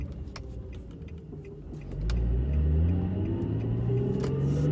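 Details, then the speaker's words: A 2008 Infiniti G37S with VQ engine pulls away and accelerates smoothly with no clunk or rattle on or off throttle after a differential problem was addressed; the diff sounds healthy. "sounds good i got no diff rattle no diff clunk"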